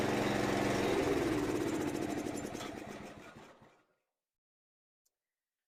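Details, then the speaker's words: Honda GX390 single in 2005 Chuck Wagon 4x4 UTV after head gasket, valve lapping and main jet replacement: uneven, lumpy chuffing just under four beats a second before dying, unaffected by idle screw; rough idle, owner suspects misfire. "I think it's a misfire is what's going on uh it seems to still be idling rough and I really don't make any difference when I'm changing the idle pin"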